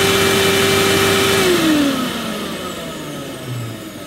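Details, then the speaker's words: Hoover Futura S3563 canister vacuum from the USA, first run after unboxing without a bag fitted: a steady motor whine that winds smoothly down as it coasts, with no grinding. Seems fine, though muck sprayed out. "I think that sounds ok not that I know what they sound like"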